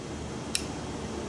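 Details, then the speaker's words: Ford 4R70W/4R75W/4R75E valve body, solenoid regulator valve bore repaired with a bore tool: a single sharp click as the valve is pushed in, catching on a ridge left in the bore; reaming or replacing the valve body is recommended. "Hear that click? That it went past some ridge there."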